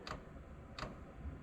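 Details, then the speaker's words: Vevor 8kW diesel air heater at startup, going through its automatic cycle. Crisp single fuel dosing-pump ticks about every three-quarters of a second. Normal fuel pump ticking. "here we go I can hear it now you hear the fuel pump so it's kind of going through an automatic cycle so it is doing something"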